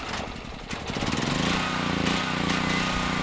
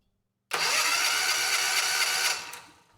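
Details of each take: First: Generac XG8000e generator, 407cc GH410 engine with clone carburetor, after swapping in a Predator AVR: hard to start, runs with uneven hunting beat over steady hum; lean carburetor mixture, smooths out with partial choke, carb needs reworking. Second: Generac XG8000e generator, 407cc GH410 engine (model 0K5107), with damaged crankshaft history, replacement generator end bolted on and engine rotating freely, cranked by electric switch before fueling: starter whirs briskly and evenly for about two seconds; normal cranking.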